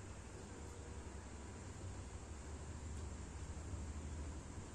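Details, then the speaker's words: Headlamp LED cooling fan on a Yamaha Xride, noisy after years of use, tested after cleaning and lubricating: now a steady, smooth, quiet whir with no ticking or scraping; fan runs normally. "Nah, halus nih. Suara kipasnya jadi halus ya. Udah enggak kedengaran kayak tadi. Berisik. Tuh halus banget suaranya."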